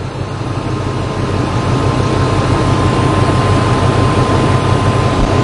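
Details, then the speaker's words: 2002 Ford Expedition 5.4L V8 with an owner complaint of rough idle and stumble on acceleration: uneven, loping idle of about three pulses a second with a slight exhaust leak, and hesitation when throttle is added; rough idle. "all right i hear a little bit of an exhaust leak and it is idling rough yeah it is definitely idling rough"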